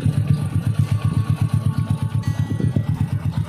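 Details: Old Honda Supra X 100 single-cylinder bored up with a Vario 125 piston, after assembly: steady idle with an even thump and no tick or knock; the engine sounds healthy.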